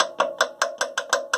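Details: LG WM2250CW front-load washer with unbalance error: sharp, evenly spaced metallic clicks about five a second, suspected from a worn spider arm shaft that no longer fits snugly. Cause suspected, not confirmed.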